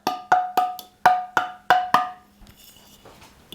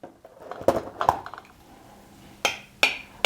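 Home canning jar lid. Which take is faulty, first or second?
first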